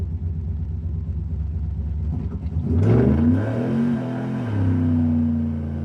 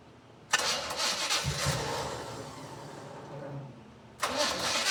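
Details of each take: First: 1979 Chevy C10 Stepside V8 after nearly a decade in storage, with carburetors and distributor done; pulling from a stop with smooth deep rising roar, no knocks or misses, transmission shifting late due to TV cable adjustment; normal acceleration. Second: 1979 Chevy C10 first start after 9 years in storage, carbs and distributor redone: fires and runs unevenly with irregular lumpy beat, dies back, catches again; throttle sticking open, owner suspects timing off.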